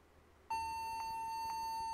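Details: Toshiba laptop rebooting back to the logo and not booting Windows: a steady high-pitched beep holding, with a faint pulse about twice a second; repeated beeping during boot, cause unclear.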